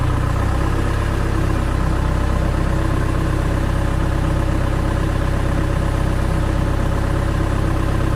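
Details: Diesel genset with a hard-starting problem and battery down to about 11.8 V, running after adjustment: a steady, deep clatter at an even beat of about three or four per second; a smooth, healthy normal idle.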